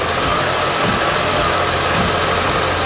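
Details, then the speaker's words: Honda Odyssey with intermittent no-crank no-start, after replacing the starter: starts first try and settles to a smooth even idle with steady low hum, no misses or knocks. "crank it perfect it's started first try first try okay turn it off try it again"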